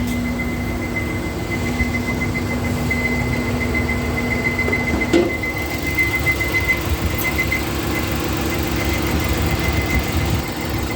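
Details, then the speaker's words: 2013 Nissan Micra Active, 49,700 km, engine very hot after about 40 minutes: steady high whine with uneven warble over idle; radiator cooling fan moving irregularly, suspected cause of the noise. "can you see the irregular movement of the fan so that is what is causing can you see that that's what is causing this nice i literally had to wait for 20 minutes again roughly 40 minutes only when the engine gets very hot this comes really a problem that just cropped up"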